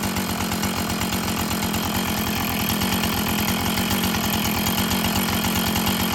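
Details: Husqvarna 445 chainsaw that had bogged when throttled, after cleaning and tune-up: a crisp, steady high-revving two-stroke buzz holds even with no bogging or surging; it runs clean and well tuned, though the diaphragm may need later adjustment.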